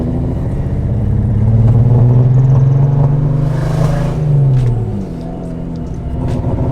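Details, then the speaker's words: Lexus LS400 idling fairly decently, then the revving note climbs and falls with an uneven, stumbling, popping beat. A definite misfire. "whoa no no pop-pop definitely got a misfire I'll tell you oh yeah"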